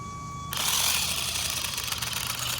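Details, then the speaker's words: HBX Transit RC car crawling rocks in low range with nearly stripped pinion and spur gears: a high motor whir rising under load with irregular ratcheting clicks as the gears skip teeth. "I hear the gear skipping which is great"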